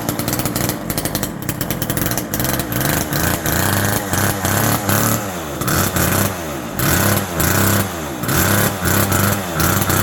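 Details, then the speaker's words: Vintage Homelite Super 2 automatic-oiling chainsaw, started on second or third pull after WD40 and starter work, buzzes at fast, uneven revs well above normal idle; owner suspects an air leak or being way out of tune. "overall this thing is uh pretty good shape it did idle really high um as if it has like an air leak or possibly Way Out Of Tune"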